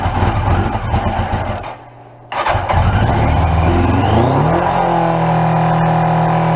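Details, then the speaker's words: 1981 Yamaha XJ750 Seca inline-four, first start in a long time after carb work and clearing a nest from the tailpipes: sputtering cranking catches, dips nearly silent, then revs up and settles to a steady idle; engine stumbling, fuel seemingly running low. "come on baby oh we're running out of fuel [Applause]"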